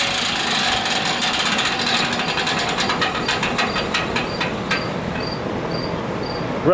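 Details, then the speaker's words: Vintage hassock fan with new motor just installed, first run: rapid light ticking rattle over motor hum as it spins up; shaft rubbing on the top bracket, later fixed by bending the bracket. "rattles issues that top bracket i gotta bend it so the shaft will stop rubbing on it so let me make some bends and fire it up again"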